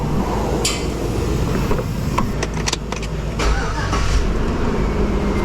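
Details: 2003 Chevy Tahoe after dead battery and bad connection, ground cable retightened: short crank, then catches quickly and settles into a steady run with no stumble, alternator heard charging; normal start.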